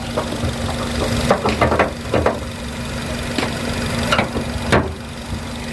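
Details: Used car being checked before purchase, judged about 80% condition with a very healthy engine: even, steady low idle hum under a few handling clunks, smooth rhythm, no ticking or knocking.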